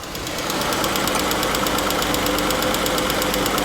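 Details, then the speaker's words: 2015 Jeep Grand Cherokee, 3.6L Pentastar, 75,000 miles, at idle: light quick tick about three a second over a steady idle, louder on the microphone than in person; worn rocker arms and camshaft, replaced with new rocker arms and one camshaft. "With the microphone, it picks it up really well, but in real life, yes, there's a tick, but it doesn't sound crazy. It's not like your engine's gonna explode or any kind of alarming noise. It's just a light tick."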